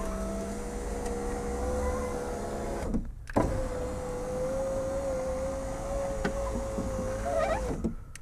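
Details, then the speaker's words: Rover 75 V6 power window after the regulator rails were cleaned and lubricated and the window refitted: smooth even motor hum each way, steady pitch, no grinding or clicks; working normally, no horrible noises anymore. "so no horrible noises anymore everything seem to run exactly as it should so I am happy with that"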